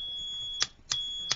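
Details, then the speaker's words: HVAC relay with independent normally-closed and normally-open contact sets, bench-tested with voltage applied and jumpers to a meter: three crisp clean clicks over a steady high meter beep as the relay pulls in and switches over; normal relay click. "I'll connect that to my my meter over here put voltage on on that you hear the relay"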